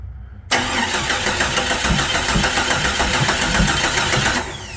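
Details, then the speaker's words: 1996 Jeep Cherokee after new timing chain and harmonic balancer: steady starter cranking about three turns a second with no firing; first start attempt fails, distributor believed 180 degrees out. "all right round two we need to switch the distributor around I was I'm hoping it was 180 out why it ran when it was way off unintentionally I have no idea"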